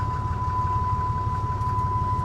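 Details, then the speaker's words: Ford F150 with 97,504 miles, started on a booster pack at an auction lot, a sensor visibly missing: starts right up and runs a low, steady, even idle with a constant high whistle; dash shows check engine, ABS, brake and airbag lights. "yes it started right up not an issue"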